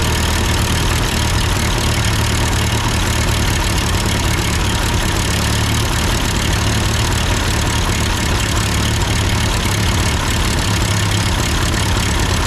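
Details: Ford 8N tractor idling after an amateur adjustment of the carburetor: steady, even low chugging with no misses, knocks or surging; sounds good, normal idle.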